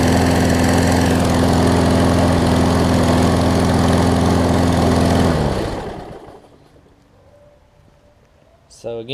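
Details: Craftsman push mower after carb clean and right front wheel assembly replacement: steady even drone at constant speed with no misfires or hunting, then a clean shutdown. Normal running.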